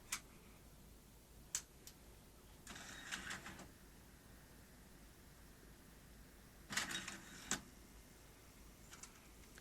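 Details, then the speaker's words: Tascam DA-45HR 24-bit DAT recorder bought non-working, at power-up: sharp clicks then about a second of motor whir, repeating as it keeps opening and closing with a mecha com error; internal parts found missing, switch actuators absent. "aho it ejected and says Mecca comm error and it's continuously opening and closing"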